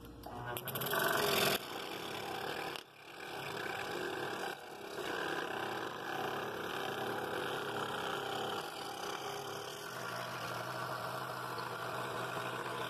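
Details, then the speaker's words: Scroll saw sped up slightly for the outside cut: blade singing a nice note, even fast buzz at steady speed, no rattle in the mechanism. Cuts really smooth; normal running. "it cut it really nice and smooth i sped the saw up a little bit because it makes a little smoother cut when you're doing that less sanding"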